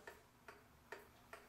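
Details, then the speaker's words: Vintage kitchen clock after cleaning and oiling, the rod to the ticker bent slightly to center the beat: crisp, evenly spaced ticks about 2.4 per second, a smooth in-beat tick-tock. "it's a very smooth ticking clock"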